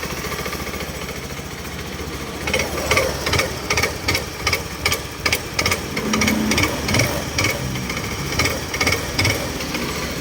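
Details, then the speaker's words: Honda Scoopy-i scooter when throttle is twisted: sharp irregular pounding knocks from inside the clutch, caused by worn, loose clutch slider pieces. "ดังโขลกๆนะครับผมคล้ายๆอะไรหลวมด้านในนะครับ"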